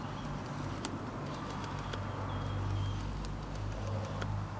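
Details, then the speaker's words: Canon 18-55mm f/3.5-5.6 IS II lens, previously dropped: faint, uneven dry clicks over low room hum as manual focus ring is turned, like a Wheel of Fortune wheel; clicking focus ring. "the main problem with this lens is as you can hear um the manual focus has a clicking"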